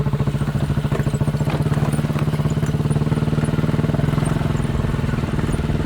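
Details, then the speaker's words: Chinese 200cc Honda-clone quad bike after a spark plug replacement: the single cylinder thumps at an even, steady beat with no stumbles or dropouts. It no longer misses or stalls when warm and is considered fixed. "Just been for a 10-minute ride around the joint and it's going all right, so I think we can call it fixed."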